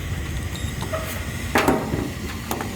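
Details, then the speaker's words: Rheem package unit (no-heat call, thrown belt), 480 V, after belt reinstalled: even low blower rumble with a few light housing knocks, no squeal or belt thump; much smoother, slight vibration from poor housing. "yeah that was a whole lot smoother it's vibrating a little bit but that housing is not not the best man"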